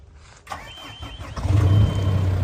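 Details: 2014 John Deere 410K loader backhoe, rebuilt 107 HP John Deere diesel, about 4,100 hours: short crank, catches at once and settles into a steady, even idle with a low throb; starts clean and healthy.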